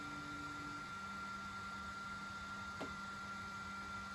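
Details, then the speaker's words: Flashforge Adventurer 3 3D printer, 4 years and about 1300 hours of use, during calibration with nozzle cooled: faint steady hum as the axis moves down, no grinding or whine; normal quiet stepper motors. "so as you can hear there's not lot of stepper noise from this so down she goes"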